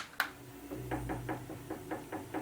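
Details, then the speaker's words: VB36 lathe headstock: light sharp ticks about five per second over a low motor hum, increasing with speed and mistaken for bad bearings; caused by a loose, misaligned pulley, fixed by tightening with a 4mm hex wrench. "i was turning this uh humongous piece and uh all of a sudden i started getting a sound on the lathe the tick tick tick tick tick tick so let me fire it up and show you what i'm talking about"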